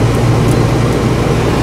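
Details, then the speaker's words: Whynter ARC-14SH 14,000 BTU portable air conditioner in a bedroom, cooling mode with the compressor on and a lower fan speed: a smooth, even whoosh and low hum with no rattles or knocks. Normal running. "this is loud right now in the cooling mode this unit is running on full fan speed"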